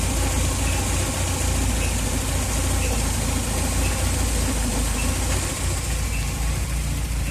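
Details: B234FT engine, warm, timing belt area: faint high periodic squeak/chirp about once a second, seemingly every 2 cambelt revolutions (marks visible on belt); rpm-dependent, much louder and squeakier when cold; alternator ruled out, cause unclear.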